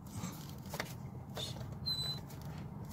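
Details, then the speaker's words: 1988 BMW 325ix E30 blower motor in the car: steady low hum with short thin high-pitched squeaks, likely from rust where the fan wheel meets the motor. "can hear it it's squeaking I'm gonna take it out and see what's happening"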